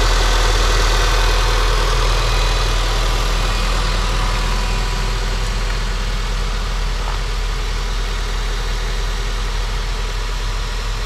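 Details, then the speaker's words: 2003 Honda Civic (code P1420) idling after catalytic converter replacement: steady even low idle with a smooth hum, no ticking or puffing, no exhaust leaks; the replacement did not fix the code. "any exhaust leaks this sounds good"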